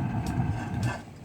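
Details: 50 BMG rocket stove heating an ice-fishing shanty on thumb-sized wood chunks after fatwood kindling: deep, steady low roar of a hard-drawing fire with faint crackles, fading slightly; burning hot at full draft, shanty reaching 80 degrees.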